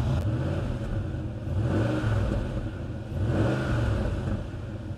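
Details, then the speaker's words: Cheap auction Jaguar XK8 V8, no engine light: rumbling idle with two rev blips and rough popping, crackling puffing at the front; not a misfire as listed, exhaust blow suspected, to be checked on a ramp. "can hear it like popping and crackling at the front we going have to get on the ramp and find out"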